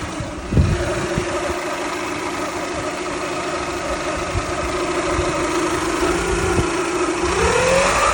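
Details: Toyota Camry 2.2L petrol engine at idle: thin steady whine that drifts slightly higher; owner unsure whether alternator or water pump, mechanics call it normal or can't hear it.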